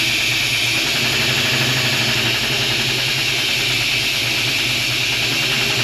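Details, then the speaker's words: Small-block Chevy V8 in a 1956 Chevy long roof, first start after sitting outdoors two years: loud hissy, clattery, uneven idle; exhaust leak noted, massive vacuum leak suspected, no open ports found; clatter new since two years ago. "but it is running definitely a little noisy but considering it sat for a while it's okay kind of sounds like it's got a massive vacuum leak or something"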